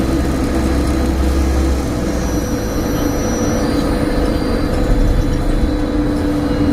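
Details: Stagecoach Cumbria Optare Solo bus 47020 (PO51 WLK) driving on Service 30 from Whitehaven to Workington, May 2015: a loud steady low hum drones under the engine and road noise; the source is unknown.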